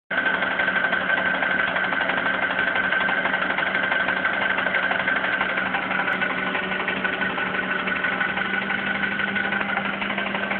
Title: Хонда аккорд стучит двигатель К20